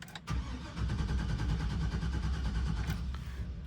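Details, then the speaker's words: 2004 Chevy Express 3500 van with a flashing security light: the starter churns at about three compressions a second for nearly three seconds and never fires. The anti-theft system disables the fuel pump; fixed by the GM 30-minute key relearn. "And once again, we have a crank no start. Now if the security light is flashing, that means the vehicle is going to disable the fuel pump, so it's not going to start."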